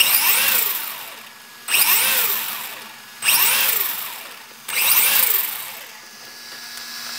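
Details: 3 Racing Sakura D3 CS Sport RC car after a center belt fix with a Sakura zero D tensioner: high electric whir surging up and down with a light belt flutter. Some play remains, but the belt drive now runs smoothly.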